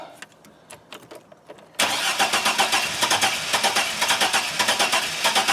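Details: GM 4.3L Astro/Safari van, intermittent no-start, fuel pressure good: steady cranking while a timing light on the coil wire checks spark; spark seen, engine never fires; crank, no start, cause unknown.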